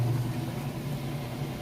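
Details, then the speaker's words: Kenmore washer, normal setting, warm water, super capacity plus, loaded with jeans and towels, final spin at full speed: smooth steady hum, even whir, level and stable, no thumping or odd noises; normal spin. "It's up to about full speed. Sounds great. Nice and level, stable. No weird noises or anything like that."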